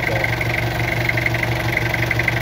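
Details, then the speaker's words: Diesel engine idling, discussed for blow-by with the oil filler cap open: steady, even idle with a regular low pulse and soft knock; slight oil spatter is normal for a diesel as long as no white smoke comes out, so no blow-by. "kumporme kapag diesel normal yan normal yan huwag lang yung may lumalabas ng langis may m puting usok na nalabas"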